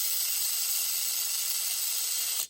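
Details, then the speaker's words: MA-030 Evo RC car after installing a 4100kV motor and front one-way differential with polished screws: high gritty drivetrain whirr with a ratchety edge; front differential gears still grinding slightly. "let's see how good my gear sound still definitely grinding a little bit"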